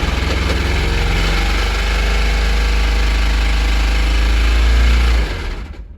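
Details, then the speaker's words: Toyota MR2 Spyder awaiting a K24 swap, original engine worn out: heavy low rhythmic thumping about three to four per second under rough running before shutdown; engine knock, motor thrashed. "yeah so as you can hear the motors thrashed so it's no good"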